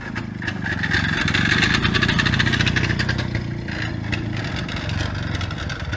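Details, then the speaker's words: 1961 Harley-Davidson Topper scooter at a lumpy idle: an uneven gravelly rattle from the transmission, whose 3 big steel bearings flop around to engage the drive; normal for this archaic drive system. "And you guys notice it sounds like there's gravel in the transmission. And that is what the transmission sounds like. It's actually got 3 big steel bearings in it that flop around and actually engage the drive system."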